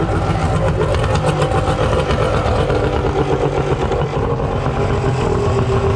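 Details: Suzuki DT65 two-stroke outboard, non-runner with backfire history, just started: uneven, stumbling idle with irregular beats and wavering level; rough idle, owner unsure of cause, adjusting idle screw.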